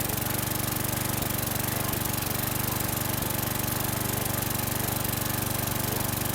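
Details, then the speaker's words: 2011 Troy-Bilt 21" self-propelled mower, 725EX engine, after carburetor cleaning, a new bowl gasket and tank cleaning. It runs at a fast, mostly even beat with occasional stumble and burping, a slight rough idle and miss; carbon on the valves is suspected. "it sounds good there's a little bit of uh rough idle but it's nothing that I'm going to be worried about little bit of a Miss could be some Carbon on the valves"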